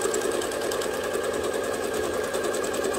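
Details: Free-motion quilting with a ruler foot, foot pedal pressed fully to hold speed constant: fast, even stitching chatter with no labouring or skipping; machine running smoothly at a comfortable quilting pace.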